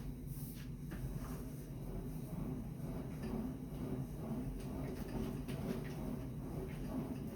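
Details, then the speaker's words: Sunny SF-E3911 cardio stair climber after repair: low, even rolling rumble with no clicking. The clicking had come from the foot-pad rollers on their metal rails under load and stopped after spraying lubricant on both rails. "No clicking. Sounds as good as the day I bought it."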